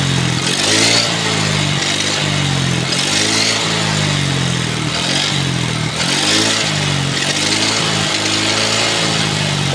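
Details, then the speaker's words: Yamaha Xeon RC 125 automatic scooter revved and released repeatedly: low droning hum on throttle release from the worn final drive gears; also has a faulty starter one-way gear. "itu suara gardan yang apalagi ini ketika kita kendarai kemudian ada penurunan di tahun 12 pasti suaranya agak menyaring sekali bunyi dengung begitu teman-teman"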